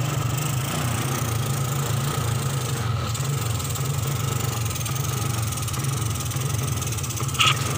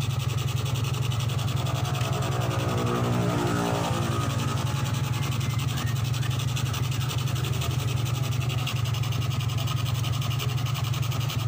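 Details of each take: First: 2003 Suzuki Smash 110, hard to start: dry, uneven popping, gelepak-gelepak when throttled, like fuel starvation but drier; low charging voltage starves the CDI, so the ignition misfires and stumbles under throttle. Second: 2003 Suzuki Smash 110 after charging system repair, battery disconnected: revs cleanly and returns to even idle, no stutter or hesitation under throttle; charging system now normal.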